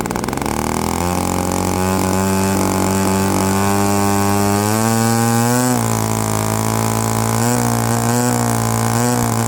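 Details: Byron Christen Eagle RC model plane, Quadra 50 gas engine revived after 25+ years; buzz climbs smoothly with throttle but sounds a touch soft and burbly up top: just a hair rich on the high end.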